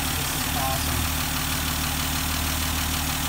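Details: 1971 Dodge Demon 198 Slant 6, sat 30 years, old fuel replaced and new fuel filter, started on the standard battery without starting fluid: slightly uneven low idle with a steady rumble and no knocks.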